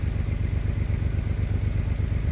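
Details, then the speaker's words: VW Mk3 VR6 12v after a motor swap: a smooth, even low rumble at idle with no knocks or misses. It sounds healthy. "wow sounds really good wow this thing sounds good"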